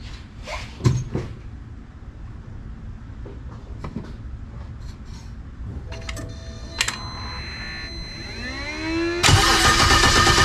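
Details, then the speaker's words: BMW E90 N54 single turbo with port injection, first start after HPFP install, four power cycles to build low fuel pressure: scattered cranking and clicks several seconds, rising whir, finally catches; slow, hesitant start. "Didn't start as much as I would have liked."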